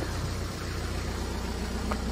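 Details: BMW E87 diesel idling after the shorted 5 V sensor behind the crank-no-start fault (codes 4680/41AA/4AFB) was unplugged: steady, even idle with a smooth low throb and no misses or knocks; running normally.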